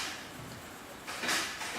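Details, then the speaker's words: Advent 200 plain paper labeler on small plastic bottles about one inch in diameter: two crisp clacks about half a second apart as each bottle trips the trigger, which is still clicking and engaging properly. "hear it still clicking so that's good and ideally because it's a very small diameter just need a toggle hit"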